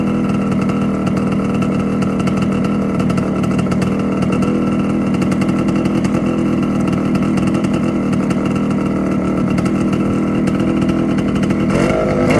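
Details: TC125 two-stroke dirt bike after carb clean, new fuel line and filter, spark plug swapped: even buzzy idle holding steady, no misses or stumbles; runs like a dream.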